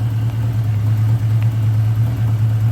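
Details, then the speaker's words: 1979 Honda GL1000 Gold Wing flat-four, following valve seal replacement for excessive smoking; smooth, even low hum settling into a clean idle with no misses; no smoke; normal idle. "so as you can see so far so good this is going to be an awesome running bike"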